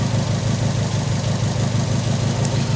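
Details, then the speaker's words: Subaru WRX idling at about -2° in the cold after its fuel tank was derusted in place with Evaporust, idle learn still pending: a steady, smooth, even pulse with no misses or knocks; a loose heat shield clicks elsewhere. "Man, it is running amazing. Can't wait to put tires on it and go for a cruise in the daytime."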